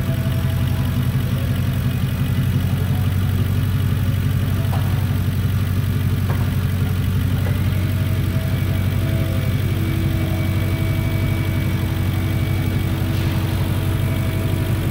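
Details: Lincoln Town Car first start after installing a new alternator and add-on ground strap, battery 12.7 V before start, about 14.4 V running: smooth even low idle, no knocks or misses, charging normally.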